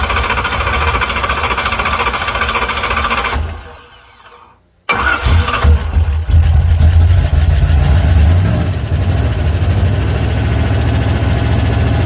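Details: 1968 Corvette, slightly modified engine, after stripped distributor drive gear knocked ignition out of time, started with manual choke unhooked using accelerator pump: starter whirs, V8 catches cleanly and settles into a strong, steady idle; running decent.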